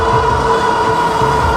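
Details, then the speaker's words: Heybike Hero electric bike ridden in speed mode 3 at about 23 mph, battery at 49 V of 54 V full: a steady, high, incessant whine from the hub motor over the wind rush, the loudest hub motor the rider has heard. "it's got this incessant whining noise I'm sure you can hear it"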